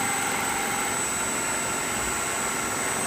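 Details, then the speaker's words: Old Max Universal 18" pedestal 3-phase disk sander on Teco FM50 VFD from single-phase 240 V, set to 45: steady even whir with thin high whistle, no surging, some noise from rubbing; normal running at set speed. "so let's say I let's say I want to run it at 45 so it'll spin up I'm rubbing somewh there so a lot of noise is just from that rubbing on that thing right now"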